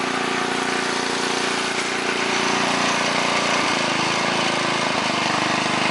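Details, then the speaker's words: 1969 Yardman Snowbird 7040-0 snowblower, 5 hp engine, started on full choke: steady, brisk single-cylinder chatter at constant speed, no misses or surging; normal running. "Alright, now I'm going to go ahead and start it up and show you what it's made of. Okay, put it on full choke. It's on full run."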